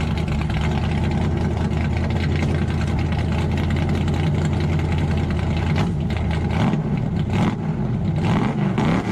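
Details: 1968 Dodge Charger 426 Hemi back on the road: deep, even V8 burble with clean throttle blips, no misses, knocks or leaks; runs strong and healthy.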